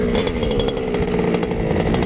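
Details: Losi 5ive-T 2.0 two-stroke after installing a Super Bee kill switch and restarting following a failsafe test; high steady buzz with a crisp, even exhaust and no misfires; runs clean.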